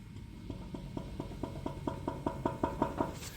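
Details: 2005 Toyota Tacoma 4WD, about 175,000–180,000 miles, front wheel rocked by hand: sharp clunks about three per second with large steering play; worn inner tie rod, wheel bearing ruled out.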